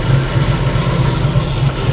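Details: 1990 Jeep YJ 4.2L 5-speed, key in run after pumping the accelerator: low, even idle rumble holding steady without stumbling or misses, engine running on its own, so the no-start is narrowed to the ignition switch itself.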